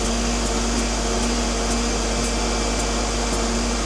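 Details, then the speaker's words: Tyre being inflated after losing air: steady compressor drone with a faint tick about twice a second, sounding like a jack going up; hissing slowing, the odd noise's cause unknown. "It's making some weird noises now. It's almost like it's sound like a jack going up."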